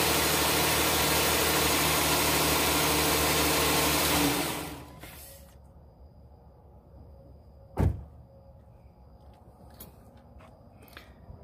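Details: 2013 Jeep Grand Cherokee petrol engine idling steadily and evenly after a crank-but-no-start fault was fixed by bypassing the PCM-controlled fuel pump relay with a jumper wired between fuse positions, instead of replacing the PCM.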